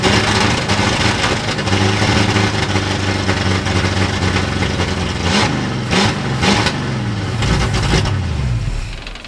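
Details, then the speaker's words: 1960s Ford Galaxie V8 first start project: loping uneven idle, stumbling loaded-up and rich, smoothing as revs rise; carburetor blamed, blown power valve. "Okay, I think the carburetor is our culprit. Okay. Once we got it enough RPM to clear out how loaded up it was, it seemed a little happier."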